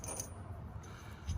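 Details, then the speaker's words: CX Racing turbo on NA-T turbo Lexus IS300 after failure: turbine nut backed out, wheel turned by hand gives light metallic clinks and scraping as the loose turbine blade catches the housing. "See, the nut's backing out, but when it's on there tight, yeah, it should not be making that noise."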